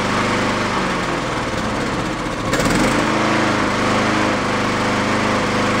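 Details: Used Honda mower engine after fitting a slightly larger jet: speed rises and sags unevenly, hunting because the carburettor idle circuit is still clogged. The jet change barely helps. It runs decently enough on partial choke to cut grass.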